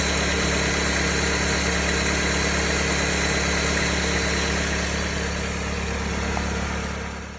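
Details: 2007 Dodge Caliber at idle with a constant high-pitched whine and hum from a bad alternator that never lets up; failing alternator noise.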